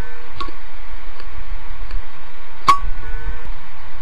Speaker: the rear ride head on a hard drive is supposed to hover above the disc it can come as close as 3 nanometers but it can never physically touch the surface when it does it's called a head crash and it sounds sounds like